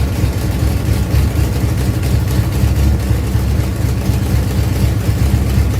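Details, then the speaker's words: Ford Pinto drag car after Holley carburetor rebuild (grit cleaned out), secondary throttle stop backed off, fired up to adjust idle and air bleeds: deep, steady idle with even low pulse about four per second, no stumble or hunting; normal idle. "I'm gonna fire this thing back up and now we should be able to adjust the idle and the air bleeds to get this thing actually run right"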